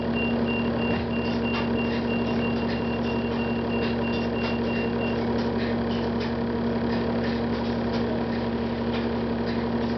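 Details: 2009 Gillig Advantage bus, Cummins ISL diesel, Allison B400R transmission: short high beeps at irregular gaps over a steady idle hum; random beeping, cause not found.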